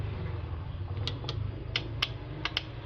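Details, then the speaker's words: AV-602A amplifier powered up after cleaning: six sharp, irregular relay clicks over low hum, protection relay chattering; relay driver problem, traced to a capacitor. "So i-plug ko tapos ito i-turn on natin. So nandiyan pa rin. Lumalagitik pa rin."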